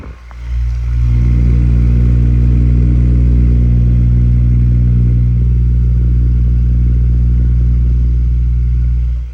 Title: Humming sound stand fan